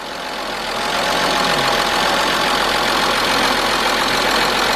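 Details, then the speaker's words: 1997 Mercedes-Benz E320, 119,000 miles, just started after almost a year unrun, following camshaft position sensor replacement and wire repair: idle uneven with slight stumbling hesitation over steady hum; rough idle, cause unknown, codes to be checked. "not bad, Not bad for 119,000 miles. I hear a little hesitation there and all."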